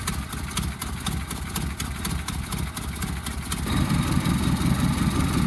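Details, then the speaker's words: 1976 Ford Mustang II carbureted engine started cold in freezing weather after storage: lumpy rough idle, easing as it warms; owner suspects old fuel gumming the carburetor; alternator bearing noise is also audible. "All right, so she's a little bit more warmed up now. Not running as rough."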